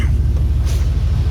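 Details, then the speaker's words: 2003 Chevrolet Silverado 2500HD at idle after replacing the right/passenger-side exhaust pipe and reinstalling the O2 sensor. Deep, even, loping rumble with no ticking or puffing: the exhaust leak is fixed, and it is only loud from the Flowmaster muffler. "It's just loud because we got a Flowmaster muffler on here, which I don't truly like."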